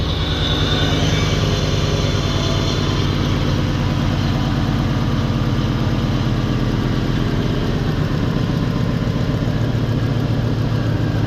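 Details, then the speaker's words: Normal idle on an LT1 Chevrolet Caprice 9C1 V8 after water pump and Optispark replacement, new radiator hoses, oil cooler line removal and new knock sensors; steady, deep, even idle with no ticks or knocks. "hey this thing sounds good it must be the green hoses yeah this thing sounds nice"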